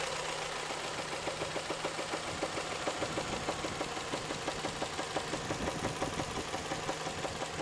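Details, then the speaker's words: Toyota 3S-FE engine: hard, uneven knocks around seventy a minute over the warm idle hum. The knock appears only after warm-up and is intermittent, sometimes going quiet, sometimes a light rattle. Cause unknown. "Стучит. Бывает не стучит, бывает просто тарахтит, прям аж долбит как хрен знает что. Просто удары такие характерные. Сильные удары."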